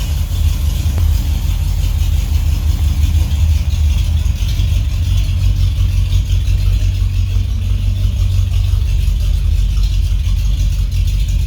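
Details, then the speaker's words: 1978 Ford F-150 V8, warmed up at idle, new exhaust without tailpipes fitted yet: loud, deep, steady burble with an even beat, no ticking under the hood, less raspy than before; normal idle on open exhaust. "Well, it sounds really good under the hood. Might be loud. Maybe too loud."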